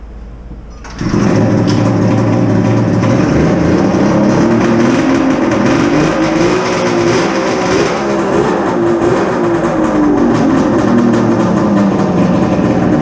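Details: Polaris Ultra two-stroke triple during rebuild (center piston melted, ring came off; outer cylinders have good compression): fires and burbles unevenly, boggy until revs climb; running very rich because aftermarket VeriFlow system is disconnected.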